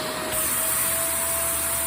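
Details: Shark vacuum running during suction-line diagnosis: smooth, constant airy rush with steady mid-pitch motor tone, no surging or whistling; this unit has no suction problem, motor and airflow sound healthy.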